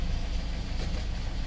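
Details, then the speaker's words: Hyundai Starex D4CB diesel with a low-power complaint, after wastegate and injector replacement and new washers, idling: low, even rumble with a steady beat and no vibration or dropped pulses; runs smoothly. "Ayan mga boss bale hindi na siya nag-vibrate"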